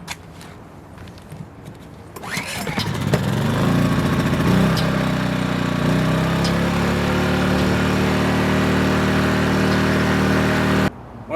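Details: WEN inverter generator after fixing surging (hunting), likely from a clogged main fuel jet: starts then settles into a smooth, even hum holding one pitch without hunting.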